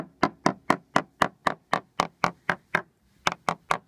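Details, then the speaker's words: Sounding-hammer tap test on the worn teak deck of a small yacht: quick steady taps, sound teak versus hollow notes where a plank has lost adhesion and will probably need lifting and rebonding. "you can see that this plank here has lost slight underlying adhesion. And consequently, this plank here will probably need to be lifted and rebonded to the underlying deck."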